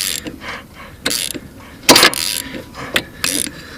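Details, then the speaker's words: 2000 Kawasaki Lakota ATV, seized, engine turned by hand counterclockwise: separate sharp clicks about a second apart, then it locks solid. Owner suspects the piston hits a valve from jumped valve timing or a worn/loose timing chain; not confirmed. "so I turned it counterclockwise and it would go and then it would make kind of a clicky sound"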